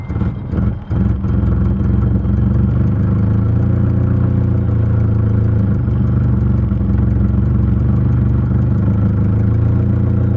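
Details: Nissan 240SX with KA engine being checked for cruising hesitation/bog in third and fourth gear: after a brief blip, steady even idle with smooth low rumble, no misses or stumbles, idle temp 107; normal idle.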